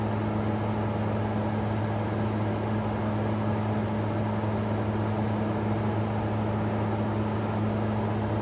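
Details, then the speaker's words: 2016 Arctic King 5000 BTU window air conditioner, model WWK05CR61N, set to the lowest temperature; the compressor starts into a steady, even low hum with a smooth airy fan background, no knocks or squeals, and runs normally, blowing cold air. "There it goes. Hopefully you can hear that. I'll turn the fan on low so you can hear better."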